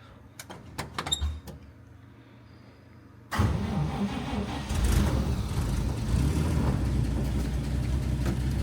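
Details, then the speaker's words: 1949 Chevy Fleetline, 216 cu in engine, started after a PCV valve was installed and an exhaust leak fixed, with exhaust hangers not yet set. A few clicks, then a steady even idle with the exhaust leak gone; slightly ticky, owner suspects it may need a valve job. "bad, and I can hear that exhaust leak is gone."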